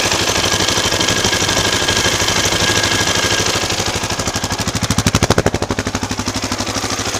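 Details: KTM LC4 640 single-cylinder engine, 2004, 11,000 km, Akrapovic slip-on exhaust, at 60°C oil temperature without choke: steady idle thump, pulses quickening and sharpening when revved; nothing fault-specific stands out, condition unknown.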